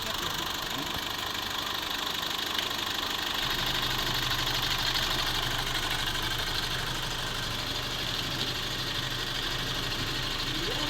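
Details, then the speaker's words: 2018 Foton Toplander diesel with suspected blow-by, after repair of the leaking fuel injector washer: engine idles at an even, steady clatter with no stumbles and no smoke; normal idle. "Soo okay na at maos na maos na at ang andar niya wala pong problema Maayos naman at ito na nga Okay na itong ginawa natin"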